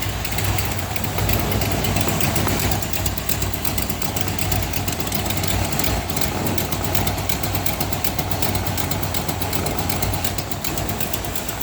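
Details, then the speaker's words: V8 hot rod idling on a newly built exhaust with quiet mufflers and timing set close: a sharp ticking puff about three per second rides over the exhaust note from a leak at the header on one side. "yeah so i have a leak in that one side on the exhaust something to do with the header that's got to get fixed don't like that"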